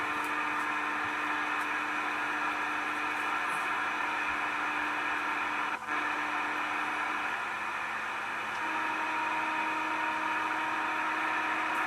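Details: Steady hiss with constant buzzing tones on the CB radio band, a continuous interference signal of unknown source.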